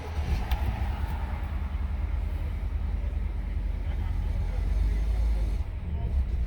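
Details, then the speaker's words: 2012 BMW X5 E70 after replacing the fuel pump control module with a used one and before coding it; low, uneven engine rumble that sags, the engine starts then shuts off right away. Owner suspects the uncoded or intermittently faulty used module. "you see you hear it it's just like crazy does it work shut off right away"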